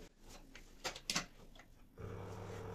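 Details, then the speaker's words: Washing machine drain pump motor bench-tested on 220 V mains: it starts with a steady, quiet hum with no knocking or rattle. Faulty motors knock, but this one runs normally. "Plastik kısımlarından tutarak, motorun çalıştığını (yandaki motor) görüyoruz. Bir sorunu yok. Gayet sessiz çalışıyor."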